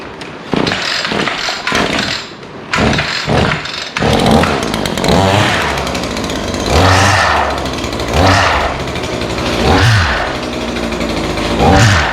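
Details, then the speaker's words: Brand-new-this-season two-stroke trimmer revved up and down: harsh, gravelly grind riding the revs from a torn-up gearbox at the end of the shaft; replacement gearbox ordered. "This thing has done tore up the gearbox in the end. And when I start it, you can really hear it."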